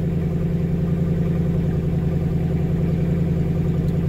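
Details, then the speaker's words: 2005 Mercedes SLK55 AMG idling after replacement of the fuel pump, fuel level sending unit and fuel filter. The drained lines took time to refill. A steady, even low hum with no misses, ticks or knocks; it runs smoothly and healthily. "so it did take a bit of time there for the field to get to obviously the fuel line the fuel filter whatever else that I drained seems good here we'll just let it run for a bit"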